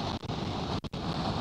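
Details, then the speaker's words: Tesla Model 3 driver-side window at highway speed, mic in cabin: loud steady rushing hiss, briefly cutting out, from upper window corner near driver's head; wind noise leaking past window seal suspected, not confirmed by service. "down the window you don't really hear it but when you get up to here it's more than obvious that there is a lot of wind coming through the window of this vehicle"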